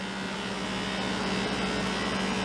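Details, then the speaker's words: FoodSaver handheld cordless vacuum sealer on a mason jar attachment, vacuum packing freeze-dried parsley: steady whirring pump hum with constant low tone, even and smooth; drawing vacuum normally. "This will automatically pull that air right out of there and create a vacuum for us."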